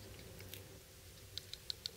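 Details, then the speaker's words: HEST/F 2.0 folding knife, little used: four tiny sharp clicks from minute blade play in the lock, absent at first, gone with light lock bar pressure; paper-thin gap at stop pin suspected; lock clicking from blade play. "That tiny little clicking sound? That is from a minute amount of blade play. That was not there at first."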